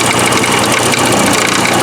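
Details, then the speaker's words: 1984 Porsche 944, first running in about four years, dies on throttle: steady idle with loud metallic clatter up front after recent work; rattle felt at the timing chain area, exact loose part unknown. "One of the big things is it's rattling bad up front. And this is stuff that I just did. So I'll lift the hood. That horrible racket you hear is coming from underneath what I just did."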